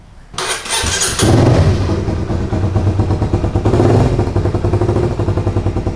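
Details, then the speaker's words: 2010 first-gen Honda CBR150R starting and idling: loud raspy popping exhaust note from a rusted-through hole in the muffler, to be patched; covering the hole changes the sound. "kebetulan kalau untuk motor ini ini kenampotnya kropos di bagian sini nanti kita perbaikin ya kita tambal ya"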